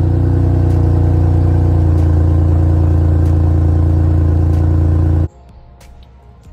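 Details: Honda at idle, then shut off, with a bad exhaust leak at the flex pipe, which is bent, likely from scraping the ground; the planned fix is to cut it out and weld on a new mount. Loud, deep rumble with a regular chuffing pulse.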